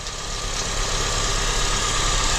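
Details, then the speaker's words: 2003–2007 Honda Accord after power steering repair, engine idling, fluid still slightly bubbling while air bleeds out: steady even idle, no pump whine or groan; power steering quiet and healthy. "i don't hear the oh i don't have the wine anymore guys i think i fixed it yeah guys i think i fixed it i don't hear the wine nope i don't hear it"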